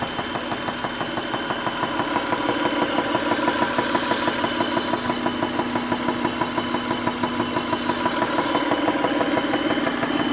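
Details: 2001 Acura petrol engine idling with a steady, quick ticking over the running sound, roughly three ticks a second.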